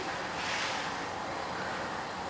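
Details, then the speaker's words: Pressure cooker heating, with tissue placed on the valve: a strong, even hiss of steam escaping from the vent as pressure builds. This is normal venting. "Nah, jadi uapnya itu keluar dari sini itu ya. Misalkan suhunya masih 50 derajat perhatikan kalau sudah mulai uapnya keluar kencang, nanti karetnya akan nongol."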